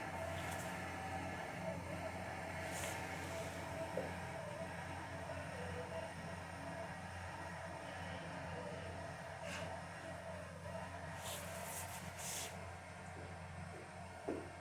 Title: Viessmann internal unit makes weird noise while heating up the water for the boiler.